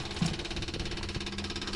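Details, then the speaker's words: 1958 Packard 58L sitting since Christmas, engine off, ignition switched on: rapid even ticking over a low hum as the electric fuel pump primes and charges the carburettor normally before start-up. "I'm going to turn on the ignition. You can hear the fuel pump charging up the carburetor."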